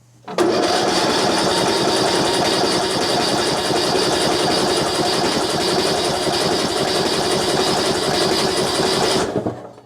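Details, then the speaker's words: Yard Machines (MTD) riding mower with 13.5 hp Briggs engine, on choke, fuel system not yet serviced: about nine seconds of steady cranking near four beats a second that never catches, with some popping; cranks but won't start, timing suspected off, possibly a sheared flywheel key. "doesn't sound promising hm no joke oh I heard a pop pop pop okay before I go any further the popping tells me the timing might be off"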